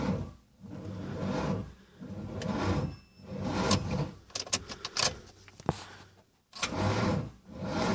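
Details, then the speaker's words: 1995 Ford Mustang 5.0 convertible, first start after sitting four to five months, on a booster pack in neutral: slow, labored cranking in short bursts, never catches; booster and car battery too weak, battery bad. "I guess I have to get the battery that battery's bad in the car so I might have to get my battery hook it up see what happens"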